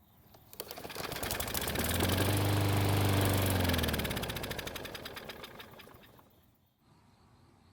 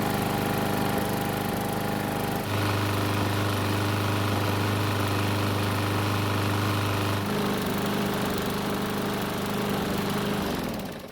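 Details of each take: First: Cheap used Bolens lawn mower that wouldn't start on its old fuel, tried with fresh fuel: a small single catches, putters steadily about two seconds then winds down and stops; ignition and compression confirmed good, fuel starvation. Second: Used Bolens mower, fixed after a no-start and refueled with fresh gas, running several minutes until hot: steady, even drone with one pitch shift and no misses; starts easily hot or cold, though owner says it could run smoother.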